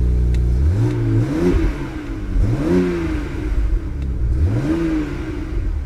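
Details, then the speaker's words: Salvage-auction BMW, fan checked to spin freely, low coolant warning so run only briefly: engine revs cleanly several times and settles back, smooth and even with no knocks or misses, exhaust sounds good; runs well. "well it runs good no coolant or low coolant so we're not gonna run this long"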